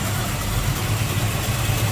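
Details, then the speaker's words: 1941 Chevrolet Coupe street rod, crate 350 V8, 4-barrel, HEI, headers, TH400 automatic, heard at open hood: deep even burble, steady regular firing, no stumbles or knocks; smooth-running, normal idle. "Wow, nice smooth running V8. Sounds good."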